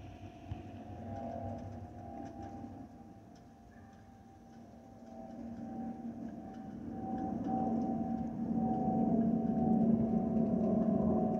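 Low cabin rumble with a clear, sustained whistle tone that swells and fades, the typical fuel vent whistle of this aircraft family.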